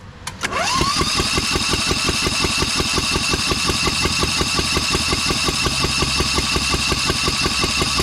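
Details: Newly fitted engine on a Lesco Viper 54" zero-turn, first start on full choke with no exhaust or muffler. Starts after a brief crank into a loud, harsh, uneven bark; running on one cylinder.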